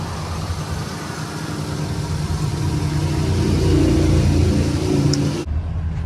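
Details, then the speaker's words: Used 6.0 diesel, said to have about 150,000 miles, restarted after a power steering leak sprayed fluid; quiet low rumble that swells slightly then settles, no knock or rattle, a normal healthy idle. "Started it up again. It sounds pretty quiet."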